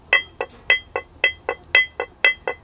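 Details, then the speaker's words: 1997 Seadoo SP 720 140mm bronze jet pump, prop rocked by hand on the bench: sharp metallic clinks about four a second as the loose shaft moves. Water was found mixed in the gear oil from a probably leaking gasket. Jet pump shaft play. "something's not right there that's why I chose to rebuild it I have no idea what the condition is of it you hear there's playing in there that thing's all over the place"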